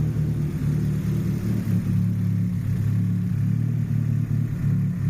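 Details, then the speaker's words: JDM Nissan Pulsar GTiR after about five minutes running, once the issue was found: steady, even low hum with unchanging beat and no misses or knocks; normal clean idle. "at this point she seems not too bad certainly that was the issue we have found the issue it's been running for a good 5 minutes"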